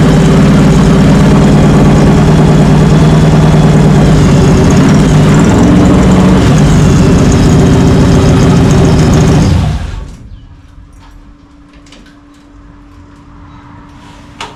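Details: 1967 Chevy Nova with 400 small-block V8, running after new wiring harness install, during break-in; deep even burble with steady lope about four beats a second, no knocks or misses, then shuts off cleanly, healthy idle.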